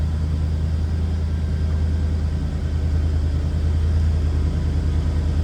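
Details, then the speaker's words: 1978 Chevrolet Camaro Z28, numbers-matching 350 V8, 60,785 miles (unconfirmed), just after a cold start and still warming up with the idle expected to drop. Heard from the rear: even, deep, mild idle rumble with no misses, ticks or knocks. "Little rumble coming out of that 350, nothing crazy over the top though."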